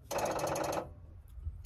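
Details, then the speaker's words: Wood-Mizer LT40 Super Hydraulic sawmill at 10 hours, hydraulics not working with key on: rapid buzzing chatter in sub-second bursts, like a dead battery, though battery reads 14 V; poor safety switch contact makes the solenoid keep dropping out. "sounds like the battery is dead but the battery is not dead"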